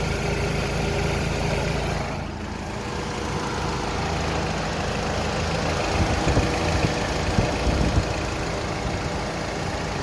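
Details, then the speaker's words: 2006 Honda Accord coupe at idle with AC on after replacing the AC compressor clutch, whose magnet failed from age and overheating: steady, even idle with no clutch chatter, squeal or grinding; normal idle with the new clutch engaged. "everything's spinning smoothly no noise it's time to close it up and go for a test drive"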